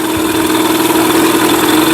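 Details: Mercury 8HP two-stroke outboard, sat unused for an unknown time, running in a water tub on its first test start; a steady, even buzz at constant pitch with no knocks or misses while shifting between reverse and neutral; normal running.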